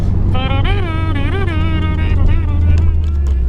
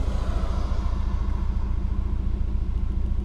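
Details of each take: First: Subaru boxer on a test drive under boost after the failed cylinder 3 ignition coil was replaced and high-mileage oil added. The engine pulls cleanly with a smooth, even rise and fall and no stumble. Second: Subaru boxer while driving with a P0303 misfire: a deep, uneven, stumbling rumble and heavy shake through the steering wheel. Caused by a failed cylinder 3 ignition coil pack.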